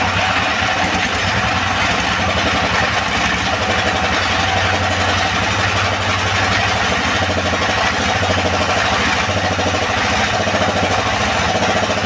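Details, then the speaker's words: Second-hand S1115 single-cylinder diesel that would not start (found partly opened by the owner), serviced until it ran; an even, steady thump at constant speed with no misses or knocks. Normal running, and the oil indicator rises well. "Oke sobat diesel setelah kita coba hidupkan dan kita dengar tadi hasilnya sepertinya tidak ada kendala lagi ya pada mesin diesel ini"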